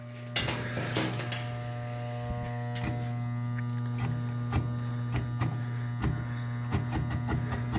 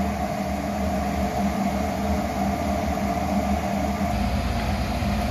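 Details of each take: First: Garage furnace (Ohio-style unit) makes a loud, steady electrical hum while the blower fan won't kick on; the blower motor is tight/seized and stalling. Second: Garage furnace that only hummed loudly with the fan not kicking on, after its motor was reinstalled: a steady low hum with an even whoosh and no drone or rattle; the furnace runs smoothly, much better.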